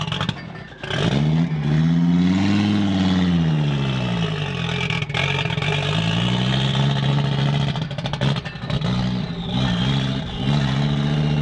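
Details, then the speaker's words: 1986 Audi 5000 S turbo, with an inoperative cold start injector and started on brake cleaner: it revs with a flat, dull note and no real pull, lacking power; the cause is unconfirmed. "it sounds like it has so much potential to be rowdy but it's so not rowdy"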